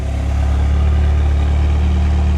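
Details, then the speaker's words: Pontiac Sunbird struggling up a hill on a drive and running very badly: a low, heavy, uneven pulsing beat. Rough running from incorrect ignition timing. "I'm going to end up getting pulled over myself and honestly that's the last thing I want to deal with here the way it runs I mean it just it runs so bad and listen"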